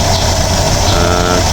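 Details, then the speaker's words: 2010 Mitsubishi Strada 4D56 diesel after a new relief valve and a new suction valve assembly: a steady, even idle that no longer shakes. Repair successful. "maayos na yung k hindi na siya nanginginig at wala ano ginawa"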